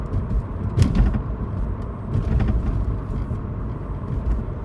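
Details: Intermittent sharp, loose rattles over road rumble while driving, from somewhere at the rear of the car; owner suspects the boot or sunroof, source unidentified.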